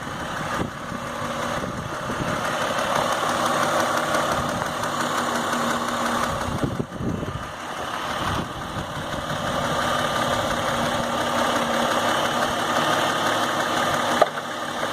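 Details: Idling engine with a fast, light ticking of about three or four ticks a second from the intake manifold; owner suspects rattling butterfly (swirl) valves, since unplugging the actuator stopped the ticking completely; manifold not yet opened.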